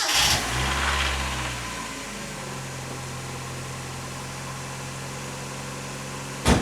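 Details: 1990 Mazda Miata restoration, first start after replacing hoses and refitting intake parts: cranks and catches quickly, flares briefly, settles to steady even idle without knocks or misses; normal start, owner unsure about throttle position sensor.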